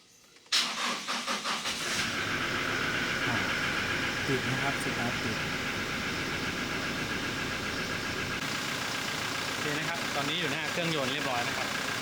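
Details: Pickup with a 2.4 L engine and a battery probably about 3 years old, measured at 294 CCA against 312 needed, tester says bad, replace: brief crank, then the engine catches and settles into a steady idle; weak battery.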